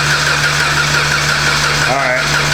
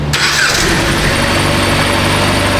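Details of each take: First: 2015 Jeep Patriot with almost 250,000 miles, towed in frozen and cold, weak battery on a charger. The starter turns the engine over at normal speed but it never catches. Cranking sounds normal, with no sign of a broken timing chain; crank, no start. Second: 2015 Jeep Patriot towed in cold and frozen as a crank-no-start with a weak battery on a charger; after the relay is reinstalled it catches right away and holds a steady, even idle under heavy background noise, starting and running normally on its own.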